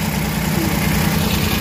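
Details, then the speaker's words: Suzuki DA64/DA63 mini van K6A engine at idle with AC switched on: low, uneven idle with shaky, pulsing vibration; idle-up valve is clogged and not raising rpm, to be replaced. "nating aircon yan balik so Nanginginig na siya ayan o So ibig sabihin yung ID up hindi gumagana o Barado na to"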